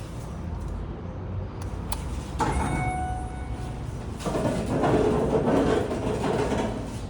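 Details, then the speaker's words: 1998 Schindler MT 300A hydraulic elevator after repair of low oil: brief motor whine with a light rattle as the door slides over a steady rumble; door operator sounds as it always does; normal elevator door operator. "The door operator still sounds like it always does."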